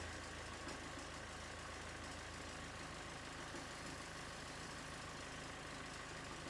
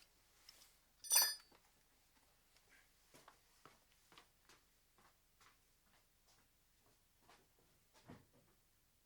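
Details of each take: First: Mazda 6 GG diesel at idle, engine running, before repair: thin constant high squeal over diesel clatter from worn alternator belt idler and tensioner pulley bearings (203 bearings); squeal disappeared after the bearings were replaced. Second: Mazda 6 diesel after replacing alternator belt idler and tensioner roller bearings: quiet clicks and a chime, then engine starts and idles evenly; belt squeal gone.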